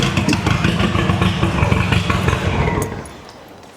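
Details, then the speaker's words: MK2 Golf GTI with a newly installed 1.8 turbo engine, first start: uneven, stumbling exhaust beat with irregular dropouts, then it dies; rough-running misfire, owner suspects insufficient fuel. "That misfire was crazy. I've got a feeling we ain't got enough fuel, you know."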